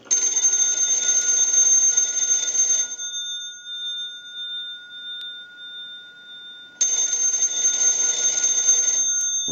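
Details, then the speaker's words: Western Electric 202 telephone with bell box, final checks after repair and conversion, rung from a test analyzer: bright, clear bell ringing about three seconds, pause, then ringing again, clean and even; bells working normally. "So now what we want to do is we want to go ahead and use the analyzer, and we'll ring the bell box."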